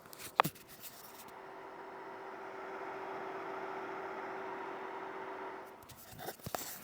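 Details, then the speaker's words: Creality Ender 3 V3 KE 3D printer at idle, microphone close up (37 dB at arm's length): soft, steady airy cooling-fan hum under a few handling clicks; normal fan noise. "it's not perfectly quiet. There's definitely a little bit of fan noise to let you know it's turned on. But for the most part, this wouldn't bother me."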